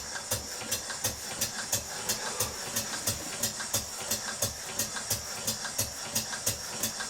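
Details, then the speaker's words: Stuart beam engine on compressed air after fitting a new bronze big-end bush on the connecting rod and lubricating: even, steady exhaust beats about 88 a minute with soft hiss between; runs smooth and regular, old engine with minor problems but okay. "It's an old engine with one or two minor problems down to the engineering and what have you, but it's okay."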